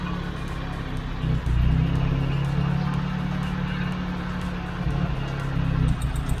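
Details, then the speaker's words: Proton Satria 1.3 with a jerking, near-stalling idle; plug lead No. 1 is pulled. Low, uneven, stumbling idle, about four beats a second, nearly stalls, so that lead is fine (a steady idle would mean a faulty lead). "Kalau kita cabut kabel ni, dia bunyi dia macam ni, maksud kabel ni tak ada masalah lah. Kalau dia bunyi dia stabil, maksud kabel tu yang masalah."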